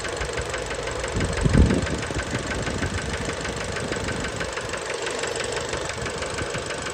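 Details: Fiat Bravo 2 1.4 T-Jet 150 HP, 215,000 km, after recent maintenance, idle recorded close to the engine: steady rapid knocking riding over the engine throb, staying even; worn connecting rod bearings, cause unknown, car was scrapped.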